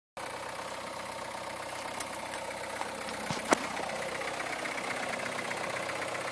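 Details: 2009 MINI Cooper S, about 25k miles, cold start at about 35F: quiet idle with light metallic rattle distinct from direct injector ticking; slack timing chain from failed tensioner, tensioner, chain and guide rails replaced under warranty.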